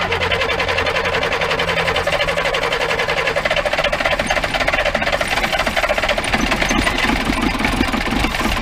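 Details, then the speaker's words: 1953 Mercedes 170D (W136) four-cylinder diesel, previously seized, revived after valve adjustment, glow plugs bad: even, steady diesel clatter at settled idle, no misses or heavy knocks; sounds pretty good, normal running. "look at that that sounds pretty good"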